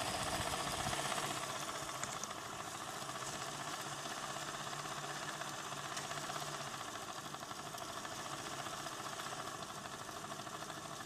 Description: The fan is running better today but it still has bearing issues.